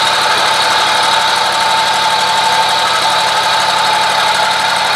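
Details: Scag mower running: a loud, constant rough whirring and rattle from the deck drive, started about four days ago and louder when pressure is put on the idler pulley; a suspected failing idler pulley bearing, belt not yet ruled out.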